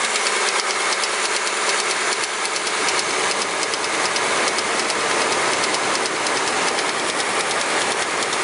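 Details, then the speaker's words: 2004 Mercury Mountaineer 4.6 V8 at idle: loose, tinny clatter like something rattling in a can, with no deep bottom-end thump. The timing chain is rattling, and the owner suspects one of the recently replaced chain guides has broken. "I think you can hear that, but it sounds like someone's knocking or something's in a can rattling."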